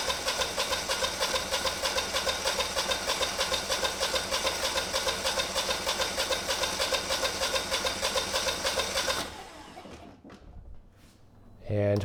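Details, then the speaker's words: Generac 20kW standby generator, GTH-999 999cc engine on propane, start attempt: starter spins about three turns a second for about nine seconds with no firing; cranks but won't start, no spark suspected. "get nothing. So potentially we don't have spark."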